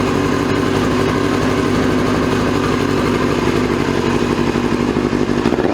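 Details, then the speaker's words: 2002 Yamaha YZF-R6 four-cylinder that sat 6 years after an earlier carb cleaning: loud, uneven, lumpy buzzy run. Owner feels it runs on about 3 cylinders and suspects a gummed-up carburetor. "I feel like it's only running on like maybe 3 cylinders. So one of those carburetors is definitely gummed up again."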